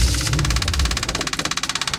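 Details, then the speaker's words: 1977 Chevy Monte Carlo with '69 Chevelle engine, after timing adjustments, driving: engine runs then breaks into sharp even pulses about ten a second as it starves; owner suspects fuel pickup tube bent, pump not drawing fuel. "oh this is not good like I'm not getting fuel maybe I'm out of I think I'm out of fuel this pump isn't pumping I don't think"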